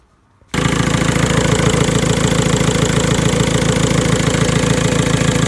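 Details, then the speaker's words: VW 1.9 TDI diesel idling, idle risen to about 1000 rpm, power steering whines when turning: steady rattle with faint dry high whistle like dry bearings; worn alternator overrunning clutch pulley, replaced. "Ніби такий свист сухих подшипників. Щось типу того. Противнючий, коротше, звук."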